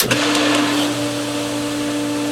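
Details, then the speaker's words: Pool pump running back on filtration after second manual vacuuming and emptying baskets, during 2020 pool opening: even, steady motor hum with constant tone, no knocks or grinding; sounds much more normal. "sounds much more normal"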